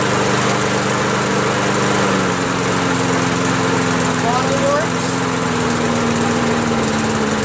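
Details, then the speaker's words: MTD push mower with a Predator engine, muffler reattached and a throttle cable fitted, running after fuel was added to the empty tank: steady, even single-cylinder drone with no misses, surging or knocking. Healthy, normal running. "That's not bad. I like it. I like the Predator engine now, man."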